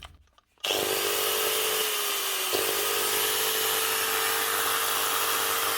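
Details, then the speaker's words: Old Hitachi G12SR3 angle grinder, spinning far too freely: high whine sagging and jumping unevenly with faint crackle; brushes found nearly worn out, bearings also possibly worn, motor possibly at fault. "maybe the brushes are gone on this cuz that's too free"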